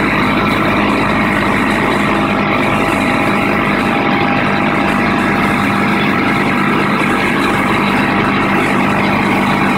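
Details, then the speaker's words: Craftsman air compressor after a home-made regulator fix, the broken piece that caused a hissing leak now repaired: steady, even loud drone while pumping the tank to 80 psi with no hiss; normal running, no air leak. "Now before, when I pumped it up, the air would be leaking through here because that piece was broken off and you could hear it hissing. Now it's not leaking."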